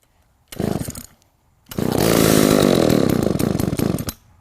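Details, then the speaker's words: Roadside-found Echo 452VL two-stroke chainsaw pull-started on choke for its first run after repair, firing and running roughly and loudly for about two seconds, quite smoky; it starts normally. "now let's put on the choke to try to start this here it"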